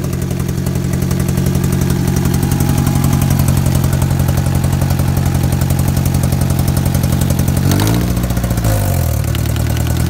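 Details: Engine at steady idle with fast, even light ticking continuing through a brief blip; owner suspects rod knock, lifter tick or a messed-up valve, unconfirmed.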